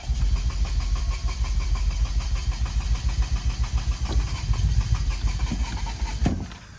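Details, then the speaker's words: Toyota Celica after a head gasket and timing belt job, during a crank-no-start lasting about three hours of diagnosis: the starter churns in a pulsing rhythm of three to four beats a second and never catches. Behavior changes between crank attempts. Crank no start. "You wait 2 seconds, you crank it over again, it changes what happens. Like, watch. That, and then compare that to this car. Doesn't make no sense."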